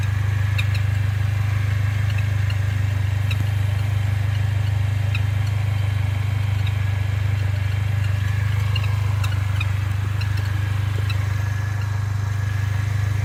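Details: Mercedes-Benz A45 AMG driving fully warm after tens of km: intermittent faint high bird-like chirps over a heavy low cabin drone, always on a certain road or posture. Source unknown.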